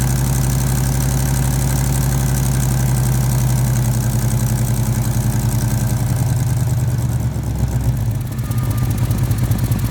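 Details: 1989 Chevy C1500 V8 with headers, cats deleted, idling: fast sharp puffing tick on each firing pulse from exhaust leaks at both header collector three-bolt flanges, the right collector worse.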